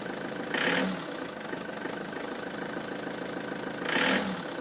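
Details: Ford Transit van with codes P0149 and P1564, idling: steady idle broken by two loud hissing surges about three seconds apart; abnormal noise, cause not pinned down.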